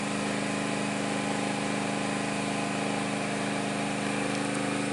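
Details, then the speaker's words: Bohmer AG 2700W petrol generator (not pure sine wave), warmed up, feeding through extension leads a heavy appliance tried after an 1850–2200W kettle: steady, even drone with a firm low hum, no hunting or misfire, pulling hard under heavy load. "right so as you can hear it really does pull on the uh generator so you can imagine what this does to your electric bill"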